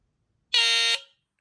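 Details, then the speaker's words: Smoke alarm that goes into full alarm on a bad battery rather than chirping: a short, shrill high-pitched burst of about half a second, then silence; low-battery alarm. "this one the bad it will go into alarm for a few seconds normally they sort of like they'll chirp a little bit Orting a little bit this one goes in the full alarm which I'm going to do really"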